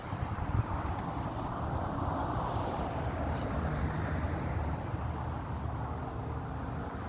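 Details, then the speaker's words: 1994 Chevy C3500 HD 6.5 turbo diesel, code 36, hard start only cold/first start, around 80°F: steady low clatter with a loose, uneven beat after a hard start; owner suspects fuel system losing prime. "e I have my 98 there to the far right and it starts right up and you know it might puff a little bit of smoke but it doesn't smoke like this one so I understand you know this engine's a little bit more worn out than that one"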